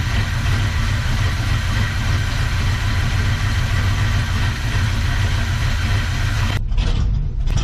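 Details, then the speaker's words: 1970 GMC truck V8, just started after fuel-delivery trouble to the carburetor, warming up: loud, low, lumpy, crunchy rough idle that sounds set too low; owner may raise the idle. "lord she's crunchy i may have to set that idol up a little bit"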